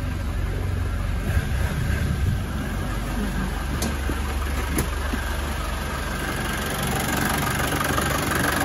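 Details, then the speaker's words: 1990 Land Rover Defender 200Tdi diesel, 174,000 miles, just started indoors after glow plugs, no warning lights, no smoke from tailpipe; steady even low rumble with no missing beats or knocks; normal diesel idle. "engines running nice and smooth and we're indoors here so there's no smoke no smoke coming out of the tailpipe either running nice and smooth"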